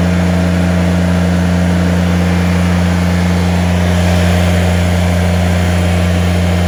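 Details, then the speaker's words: Kubota BX2370/BX2380 tractor engine drones steadily at full revs as the loader hydraulics deadhead; even high-pitched hiss is the pressure relief valve opening, oil flowing through a small orifice back to the reservoir, before adjusting the relief valve. "So you'll hear like that high pressure noise. And when you hear that, that's your pressure relief kicking in. That high pitched noise is because all that oil pressure is actually flowing through a very small orifice."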